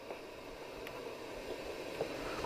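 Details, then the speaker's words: Hacker Sovereign 2 RP25A radio on batteries, aerial up: steady hiss not changing with volume, no stations while tuning; no reception. "so you can hear the hiss although the the hiss isn't altering with the volume alert can you hear the hiss if i tune around no stations so i'm that's unusual"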